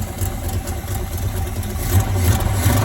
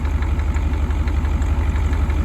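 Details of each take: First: 1978 Corvette V8 after inverted battery cables fried the HEI module and coil, run with no coolant: lumpy idle that stumbles when revved, with beats dropping out and heavy smoke. Misfire suspected from firing order or plugs fouled by long cranking without spark. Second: IDI diesel running on diesel mixed with used motor oil in the tank: low, even diesel clatter at idle with a light regular knock each firing, normal for an indirect-injection diesel.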